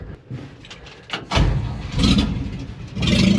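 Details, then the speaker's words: 1949 Chevrolet truck with inline six, exhaust removed after a bolt snapped fixing an exhaust leak: cranks, catches and blips with raw, loud unmuffled bark swelling with each rev; running straight pipe. "I had an exhaust leak. You know, I go to tighten it. 9/16 immediately snaps off right here. It's awesome. I barely touched it. So then I decided we're just going to straight pipe this dude."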